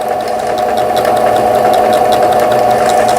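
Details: Old 220V-only Singer 7422 household sewing machine, after repair of a faulty upper-thread tension dial unit, sewing leaf/zigzag patterns: even quick needle ticking about 3.5 per second over steady motor hum; normal sewing.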